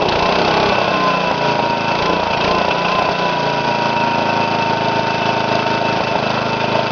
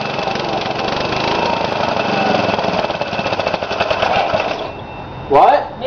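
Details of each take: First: Briggs & Stratton mower engine on first run after new piston rings and gaskets, governor readjusted after it ran too fast: loud, steady drone holding even speed without surging or hunting; governor holds it running smoothly. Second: Briggs & Stratton engine on its first run after a rebuild with new piston rings and gaskets. It screams at a high, steady speed for about five seconds, then shuts off, because the governor was adjusted wrong; after adjusting it ran almost perfect. Overspeed from misadjusted governor.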